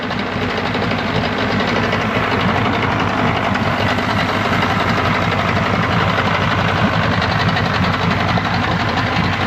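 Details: 1995 Yamaha 75hp two-stroke outboard on a pontoon boat, after water pump replacement, with the tub filled and the spark plugs in, warming up after choke. Steady, even idle with no misses, knocks or hunting; running smoothly and healthy.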